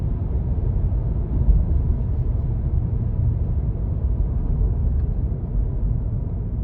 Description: Annoying bad bearing noise, especially noticeable in electric vehicles.